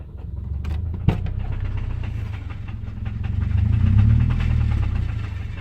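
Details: Naturally aspirated 2005 Subaru EJ253 flat-four idling with a steady low knock about four a second over the exhaust beat; suspected rod knock.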